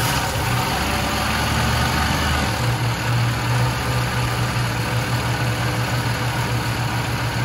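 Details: 1976 Lincoln Continental 460 big-block V8 with 41,000 original miles, idling: deep, even rumble holding a steady beat with no miss, knock or hunting; normal, healthy idle.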